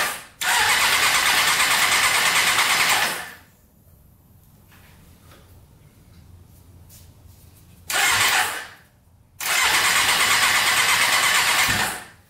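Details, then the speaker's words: Custom Yamaha Banshee quad with a 600cc sport bike engine, run after removing the pod filters: fires in short ragged bursts and drops out; owner thinks the two middle cylinders get no fuel, maybe a carburetor needle stuck closed. "we're having a problem with the two middle ones obviously i think they're not getting gas"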